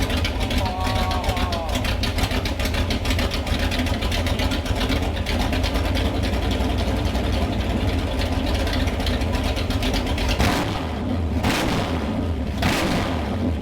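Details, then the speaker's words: Freshly built Mopar 360 in a 1974 Plymouth Duster, XC268H10 flat tappet cam (lift 477/480, duration 224/230 at .050, 110 LSA), at idle: deep, steady V8 lope with no knocks or ticks. Normal lopey idle with a performance cam. "lobe separation that one's important for the sound 110. i was very pleasantly surprised at how good this thing sounds at idle"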